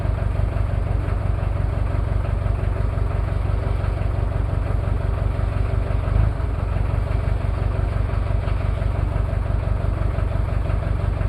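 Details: Toyota 2L-T diesel cold start, one bad injector and possible cylinder head issues after piston ring replacement without top overhaul: heavy clatter with uneven lumpy thumps, about three a second; rough idle from the faulty injector.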